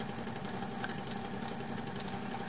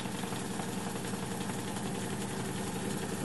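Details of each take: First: Fidelity Argyll Major 4-track mono reel-to-reel tape recorder, English-made around 1959-1960, switched on; constant rough hum with a gritty rattle, quite a noise in the motor, cause unclear; noisy motor. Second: Fidelity Argyll Major 4-track mono reel-to-reel tape recorder, made in England around 1959-1960, on fast forward, which works although rewind does not; steady even reel whir with no catching or slowing; normal fast forward.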